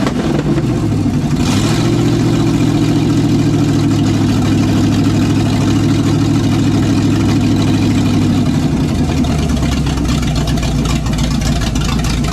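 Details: '67 GMC C10 with newly swapped 400HP small-block Chevy 350 with a little cam, first test run: deep steady V8 burble with slight lope dropping smoothly to lower idle, no knocks or misfires; healthy.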